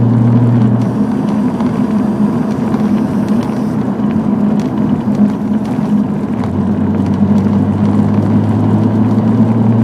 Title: 300ZX Buzzing Sound